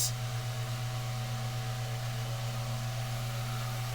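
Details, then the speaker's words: Mainstays SFC-225BR-1 9-inch high velocity fan, serviced right out of the box, running: steady low motor hum under an even rush of air with a distinct running sound, no ticking, rubbing or wobble; normal running. "you can definitely hear the running sound this thing has this is a got a pretty distinct running sound which I I do like it believe it or not I love the running sound this fan has"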